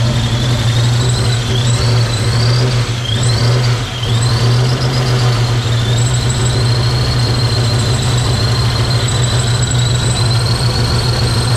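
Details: Project car just after first start in 11 years: loud deep lumpy idle, uneven beat, wavering high squeal over it; rough running, cause unknown, compression test planned.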